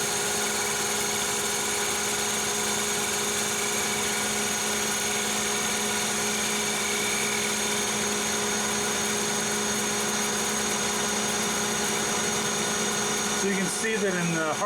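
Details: Lathe facing cut at higher speed, 0.010 depth of cut, on 4140 chromoly steel: steady high-pitched singing tone with no chatter or scraping; near mirror finish after an earlier pass was scratched by material wedged between tool and work.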